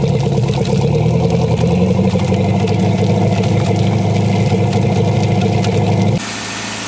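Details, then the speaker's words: 1999 MasterCraft MariStar boat with new engine, first start: steady, even idle with a smooth low rumble and no knocks or misses until cut off; good oil pressure, runs healthy. "this thing is running absolutely great just listen to it"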